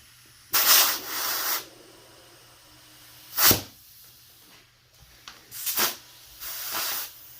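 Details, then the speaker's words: 1990 Suzuki DR200 inner tube: sharp hissing spurts of escaping air, strongest near the valve stem, where spraying reveals the leak; tube is no good and a new one will be ordered. "Now I hear air coming out, so I think that's actually coming out from right here at the valve."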